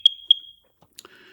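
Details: First Alert smoke alarm, under 10 years old, chirping at night with the battery in: sharp high chirps a quarter second apart (described as 3 chirps), the unit's defect code; replaced under warranty.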